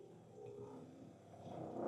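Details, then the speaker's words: New Mytee HP120 Grand Prix heated extractor, pump running for the first time on distilled water and priming while spraying: a rough, uneven gurgling purr that grows louder, with air spitting out of the line as the pump cavitates. "Still getting a little bit of air spitting out of it cuz basically you kind of like hydrolock it."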